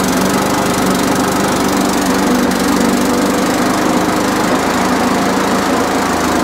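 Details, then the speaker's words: Briggs and Stratton push lawnmower, bought in a job lot last winter, that would not start: after priming it holds a rough, uneven drone, never settling to a smooth governed speed; spring out of place, carburetor suspected dirty, gasket and diaphragm planned. "okay so it does run it does it does not run right um and that's half because of that spring is nowhere near where it needs to be i say the carburetor is actually dirty on this"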